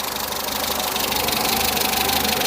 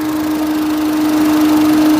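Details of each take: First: Peugeot 207 saved from scrap, warm idle after oil leak repair (now leak-free): rapid, regular light ticking about three a second over the idle; tappets audible, owner thinks not too bad but plans to adjust them anyway. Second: Peugeot 207 after oil leak repair, warmed up to temperature: steady even idle hum with constant whirring from the cooling fan running; no knocks or rattles, no leaks seen.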